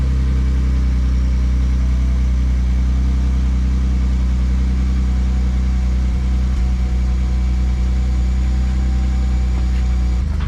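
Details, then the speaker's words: Ford F150 EcoBoost after exhaust repair replacing an eroded flex pipe broken from the muffler: steady, deep idle with an even low rumble and no ticking, puffing or rattles; the exhaust sounds sealed. "well there's our what's called post fix uh sound"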